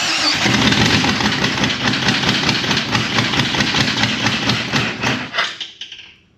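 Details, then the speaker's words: Jeep XJ engine, scrap vehicle, running briefly on starting fluid: rough run with rapid sharp ticking knock before dying; suspected piston pin hitting cylinder walls. "That don't sound good. There's a piston pin going. It does run though."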